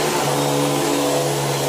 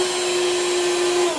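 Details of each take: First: Beam central vacuum power head after belt replacement: steady even whirring hum at constant pitch, no rubbing, slipping or chatter; brush roll spinning freely, normal running. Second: Beam central vacuum power head: steady mid-pitched motor whine with no brush-roll beating, then winding down; broken belt, brush roll not spinning.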